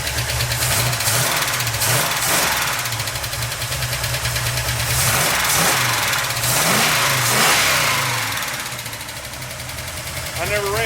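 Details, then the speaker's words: 350 SS V8 with solid-lifter cam (earlier adjusted as if hydraulic), carburetor just tuned, in gear: fast even ticking over the engine, quickening with rpm; noisy solid-lifter valve train. "sounds more happy in gear we still got some tuning to do no doubt but I think she's half here but listen to that Valve pretty annoying"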